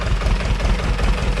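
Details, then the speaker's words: 30hp Deutz two-cylinder diesel on a homebuilt hydraulic log splitter, full oil pressure, idle lowered after a bolt was holding it up; deep even chug with steady pulses, no knocks or misses. Normal idle, no leaks. "oh we got all the oil pressure so it is down at idle that bolt was holding it up so we'll let it idle"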